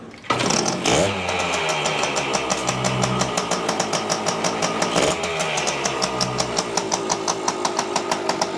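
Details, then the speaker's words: 1973 Yamaha CT3 175 two-stroke enduro just started on choke after its engine was drained of oil and fuel from hydrolock; carb cleaned and bottle-fed. Ragged idle with sharp, rapid popping ticks. Owner suspects a major exhaust leak at the head or cylinder. "It sounds like a major exhaust leak up at the head, or at the cylinder."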